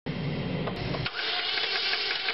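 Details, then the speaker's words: 2003 Chevrolet Cavalier 2.2L Ecotec that cranks but won't start: the starter spins the engine fast and evenly with no compression pulses. The loose timing chain slipped and threw the cams out of timing, leaving no compression. "is turning the engine very fast it's like there's no load no compression so when the chain became loose it slipped and through the cams out of sequence"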